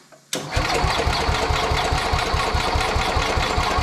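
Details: Sears Suburban 12 barn-find lawn tractor, Tecumseh 12 hp single-cylinder engine, after wiring and fuel tank repairs: catches and settles into even steady thump at fast idle; healthy, no knocks or misses.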